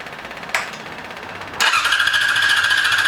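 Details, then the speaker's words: 2002 Yamaha YZF R6 sitting 6 years, first start on fresh gas from an electric fuel pump: short crank catches fast, then an uneven idle with a wavering whine. Fuel leak followed; owner suspected a sticking float, then found an untightened carb drain screw. "There we go. Rushed it. Got a fuel leak. Now I cut it off. I think we got a float sticking."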